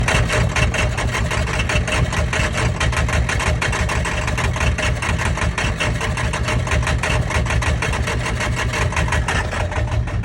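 Diesel idles with a heavy, uneven chug and sharp ticking pulses that vary slightly in strength, pointing to a rough idle. Cause suspected, not confirmed.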